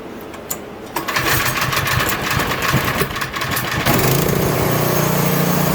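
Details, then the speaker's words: Troy-Bilt Squall 210 snow blower (MTD engine) that won't start or dies and surges after sitting with fuel, on full choke: pull catches, runs rough and uneven; bad fuel or gummed carburetor, later ultrasonically cleaned. "So it seems like this thing will probably stay running on full choke if I had to guess at this point. It kind of seemed like it'd stay running. I'm not sure, but either way, that means you have an issue with either bad fuel in the unit or your carburetor's gummed up."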